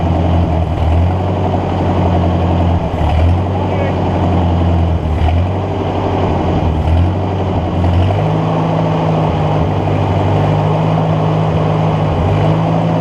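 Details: Ford NAA Golden Jubilee tractor (1953/1954), unused over 20 years, spark restored by fixing battery connection: chugs unevenly, revs sagging then picking up as fuel is hand-fed into the intake; fuel not arriving via the carb, owner suspects clogged fuel line.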